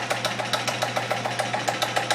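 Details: Stoelting U3 soft serve pump after roller replacement: soft even whooshing pulses, about seven a second, over a steady motor hum; rollers smooth and pump running normally, much better than when broken.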